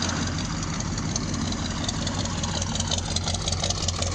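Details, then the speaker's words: 1972 Ford F100 with a swapped-in 302 V8 replacing a bad 300 inline-six, carb tuned and road-tested. Smooth even V8 idle, steady low burble, no knocking or misses; normal idle. "sounds good she's running good I ran her up the road got that carb tuned up perfect"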